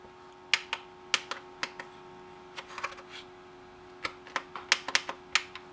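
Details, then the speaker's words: 1980s M&S Systems N350 music intercom master station after replacing failed bubble switches with new tactile switches; each pressed in turn gives a sharp, crisp click, all switches working properly. "a few of them had to be pushed down on the stems a little further but now you can listen if you listen carefully i'm going to press each one"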